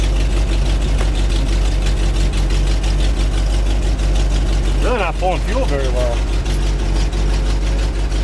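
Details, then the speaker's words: 1975 GMC C6000 truck, 350 V8 with 5-speed, first start in 10 years: idles with a lumpy, uneven beat that won't settle; rough running, owner thinks it might need an accelerator pump; slight exhaust leak mentioned. "but it's running might need an accelerator pump just let it run for a minute"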